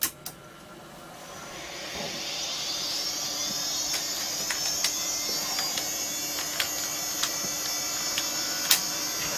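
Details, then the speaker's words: Apricot XEN-S PC during restoration fault diagnosis, powered up with floppy and ISA SCSI card connected: fan spins up to a steady high whine with a few short clicks as the floppy drive seeks, as every time, but the floppy fault remains and it won't boot from it. "now i heard the floppy drive go but it's done that every time so we've still got the fault there"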